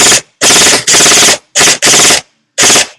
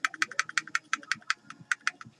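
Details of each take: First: Echo1 M14 EBR airsoft gearbox upgraded with SP140 spring, modified Ultra piston, polycarb head, Echo torque gears and Max Torque short motor: sharp even full-auto bursts, clean starts and stops, no screech; healthy. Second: Echo1 M14RIS airsoft gearbox with new gears, piston and head, SP140 spring and Max Torque motor, shake test after some shims were removed: sharp bright clicks about six per second; gears rattling from loose shimming.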